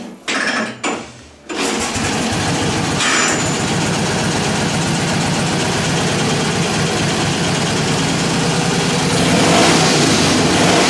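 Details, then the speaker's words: 1947 Indian Chief V-twin after finished engine rebuild, already run and kind of warm: cranks, catches after a couple of tries, then settles into a steady, even idle with no knocks or misses; sounds as it should. "here it is kind of warm i'm going to start it up so you can hear it when it's supposed to sound like"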